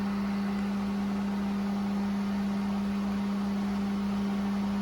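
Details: Water well pump after replacing a 40/60 psi pressure switch, pressure at about 40 psi rising toward 60 cut-off: steady electric hum with constant low tone, no knocks or rattles; normal running.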